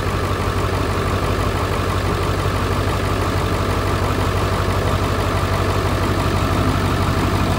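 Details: 2001 Ford F250 7.3 Powerstroke diesel after alternator replacement (weak batteries earlier): steady even diesel clatter at idle with a firm low rumble, no misses or odd knocks; engine healthy.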